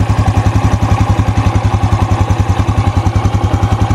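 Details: Used motorcycle inspected before purchase, listened to at the front of the engine: steady, even putter at idle, about three and a half beats a second, no ticking from camshaft or its bearing; healthy normal idle.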